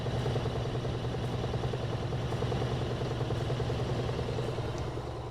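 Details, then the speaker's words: Frigidaire washer-dryer laundry center, model FGX831FS5, with an intermittent no-spin complaint; the belt and transmission spin up faster and faster to extract water, giving a steady low hum with a faint even rhythm and no knocking or grinding: normal spin cycle. "It's going to go faster and faster. Get all the water out. Looks good. Pretty smooth."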